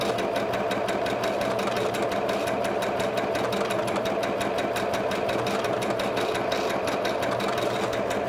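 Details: PFAFF Passport 2.0 sewing machine with a wing (lancéolée) needle on stitch 48, sewing a bit faster: fast, even stitching clatter with a steady motor hum and no knocks or catches. It runs smoothly at higher speed.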